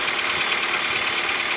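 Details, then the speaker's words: Toyota Rush 2006 with 3SZ engine at idle, knock present for about a year; busy light tapping over a thin hissy idle; cause unclear, valve clearance or piston suspected, owner considering engine replacement. "Вот это так вот работа мотора на холостых оборотах. Где-то около года вот такая уже проблема."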